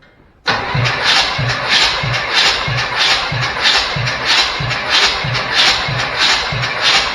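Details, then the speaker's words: Chevrolet C10 engine compression test cranking, throttle zip-tied open; number 5 cylinder reads about 200 psi versus 130 on number 1; starter cranks evenly about 95 beats a minute, no weak strokes, good compression. "That one is right at about 200."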